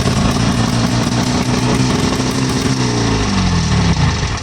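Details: Wheel Horse small single after a fuel fix: the return-line valve is shut so air can't go up the return into the fuel diaphragm, keeping the intake line full. It starts on one pull and runs loud and steady without stumbling. Normal running.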